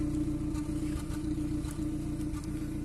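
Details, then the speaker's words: 2014 Kia Cerato, previously overheated, heard at the exhaust at idle: uneven stumbling putter with a recurring dropped beat; misfire counter zero, no codes; misfire later traced to cylinder 1. "نشوفوا الحين عند الاكزوست نسمع التفتفة واضحة."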